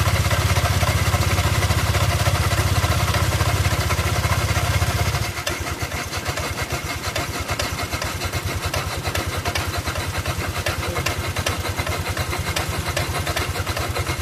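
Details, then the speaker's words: Honda Click 125i scooter started and idling: a steady clattering knock about three times a second over the engine note; engine knocking. "มันก็จะมีเสียงเพื่อนั้นก็ก๊อกๆนะฮะ"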